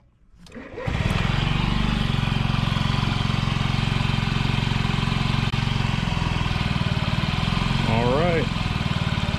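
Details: 2009 Honda Metropolitan scooter after replacing the clicking fuel pump and fuel filter with OEM parts: fires up quickly and settles into an even idle, about three beats a second, no stumbles or clicking; normal idle.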